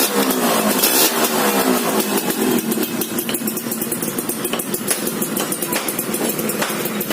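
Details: Motorcycle small single after tune-up with transfer port and reed valve membrane setting and internal cleaning, restored and repainted: settles into fast, fairly even idle around four beats a second, smooth, no rattles or knocks; normal idle.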